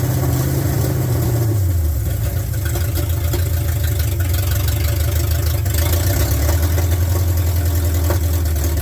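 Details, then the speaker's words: 1972 Ford F100 with 390 FE big block, sat in a field, first start in park on open headers: loud deep burble, idle dropping then settling with a slightly lumpy beat, no smoke; owner blames bad gas, rough idle. "It's running. Got open header. I don't see any smoke. Some bad gas in it. It's running."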